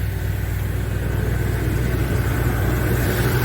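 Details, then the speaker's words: 1978 Chevy C10 with freshened-up 350 V8, 400 turbo transmission and new Edelbrock carburetor, oil pressure about 60–65: deep, even V8 burble at steady warm-up idle with no knocks or ticks; normal idle, engine and transmission good. "Anyway, good oil pressure. This engine and transmission is good. The transmission is practically new."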